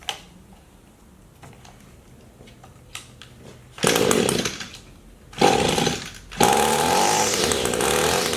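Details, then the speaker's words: Echo two-stroke power tool before carburetor adjustment, needing little tuning; light ticking at idle then three strong throttle bursts climbing cleanly to steady high buzz, powers up well; normal full-throttle run. "so that's full throttle it powers up pretty good so there's really not too many issues"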